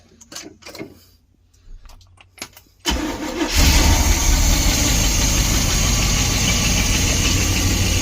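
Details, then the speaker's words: 1972 Barth motorhome carbureted engine after 15 years idle, started with a couple carb pumps then electric fuel pump takes over: brief crank, quick catch, steady even idle, no knocks or misfires; coolant likely empty, temperature gauge didn't move. "right now it will able the start up on its own with just a couple pumps of the carb and then the fuel pump takes over and it goes"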